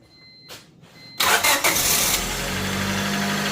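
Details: Honda Civic (1994+) 1.6L after replacing the valve cover gasket, spark plug hole seals and distributor O-ring: a quick crank catches cleanly and settles into a steady, even idle with no knocks or stumbles; a healthy start.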